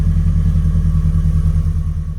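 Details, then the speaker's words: Ford Escort XR3i petrol engine after cleaning, distributor check, timing check and new fuel filter, previously hard to start and rough: deep, steady idle on its own, even beat, no misses; normal idle. "But as you can hear, it started. So all I can say is it's been a success. It's idling on its own. I'm not revving it, and yeah, all good to go."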